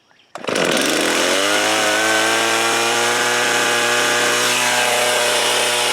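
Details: New Stihl chainsaw bought after two other saws needed repair, cutting limbs: two-stroke fires up quickly and holds a steady, high, even snarl with no misses or surging; healthy running.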